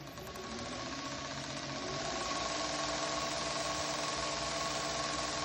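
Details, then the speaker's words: Spliced urethane belt driving a Drukov surface-grinder spindle: motor 1800 rpm, spindle about 3600 rpm, VFD. Smooth high whir with a faint tick each turn; the splice joint clicks slightly but is deemed harmless. Normal belt drive. "The drive motor is running at 1800 RPMs, and the spindle here is running at for about 3600 RPMs, and you can hear that it's nice and quiet."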